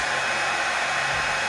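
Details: Oster hair dryer that would not turn on, after repairing a short in its wiring, tested on normal current while measuring amperage: steady, even airy rush with a constant fan hum, no cutting out or crackle; normal running.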